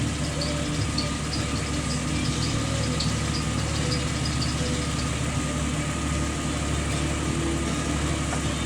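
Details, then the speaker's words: Jeep Wrangler at idle: sharp high chirps repeating about three times a second over a steady idle, fading after a few seconds; serpentine belt squeak. "Oh man, I get this squeak is driving me"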